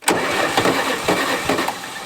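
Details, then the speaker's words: Old Oliver tractor with a Detroit diesel, first cold start on a chilly morning: cranking with uneven popping bursts as cylinders catch; normal cold-start popping. "Woo! Hey, it's knocking. Good sign. Means she's trying when she's popping."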